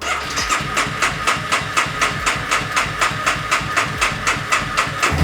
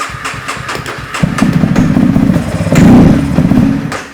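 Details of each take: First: 2015 Honda CBR300R, 4,000 miles, sat almost two years, after replacing fuel pump, injector and fuel filter and cleaning tank rust, mid-grade fuel: steady even ticking idle about four pulses a second, then revs up cleanly and settles; runs healthy. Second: 2015 Honda CBR300R with 4,000 miles, sat nearly two years and won't start. On starting fluid sprayed into the intake with the throttle open, it cranks, catches and revs unevenly, then dies; suspected bad fuel pump, injector or filter.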